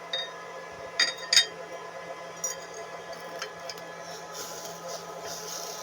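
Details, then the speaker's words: Immersion heater (boiler) powered directly from one 450 W solar panel, no cutoff: faint steady high hiss with light clinks as steam escapes; water almost gone, element boiling off the last of it and running dry. "पानी लगभग खत्म होने वाला है। यह पहले ही खत्म हो चुका है।"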